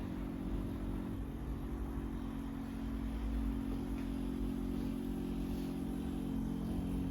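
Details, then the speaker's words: Rolls-Royce Corniche after 14 years sitting in a barn, engine not running and coil lead refitted: the fuel pump sends fuel forward with a steady low hum and whir, seemingly working overtime because the tank is nearly empty. "Yes, the pump working the fuel to the front. You've got low coolant, which we know. Brake pressure, obviously there's none because the engine isn't running. Low fuel, which we know. It sounds to me like the pump's working overtime because there isn't quite enough juice in it."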